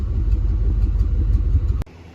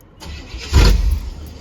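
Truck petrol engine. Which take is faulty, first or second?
second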